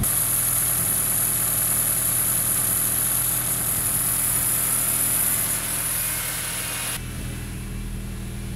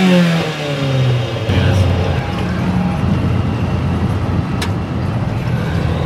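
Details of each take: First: 1976 Chevy LUV 4x4 prototype (Isuzu) after Pertronix electronic ignition conversion and timing set: steady, even low idle with no misses, surges or knocks, a smooth settled tick-over. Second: 1976 Chevy LUV 4x4, long-parked four-cylinder with very low compression and points ignition, driving under load: uneven, lumpy exhaust beat, rough running; ignition system to be fixed, cause unconfirmed.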